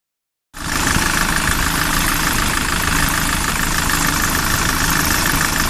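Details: SsangYong Kyron engine at idle: a steady rattling beat a bit over three times per second rides over the running noise; extraneous engine noise, source not pinned down.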